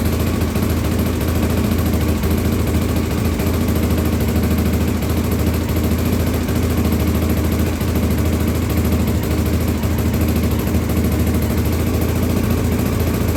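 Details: 1983 Honda XL600R first start after top-end rebuild (1mm overbore, Wiseco 11:1 piston, Megacycle stage one cam, heavy-duty springs, rebuilt carbs): loud steady single-cylinder thump held evenly, no knocks or rattles; normal running.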